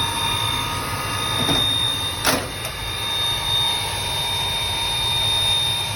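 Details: Riello 40 F5 oil burner running: steady high squeal over the even burner roar with a few brief clicks; owner suspects the sealed, non-lubricable motor bearing; squealing noise.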